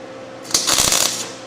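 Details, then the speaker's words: MIG welding tack welds during 1989 Ford refresh: short burst of bright fast crackle like frying bacon; setting close but slightly too hot. "try little too hot yet sounds like we're frying bacon though so the setting must be pretty close"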